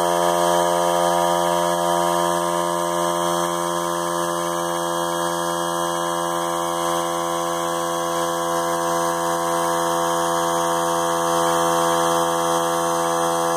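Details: Central Pneumatic 95275 3-gallon 100 psi oilless compressor, found not working, after finding the power switch had no continuity: steady, even motor drone at one pitch, no knocking, grinding or stalling; compressor running normally and building tank pressure.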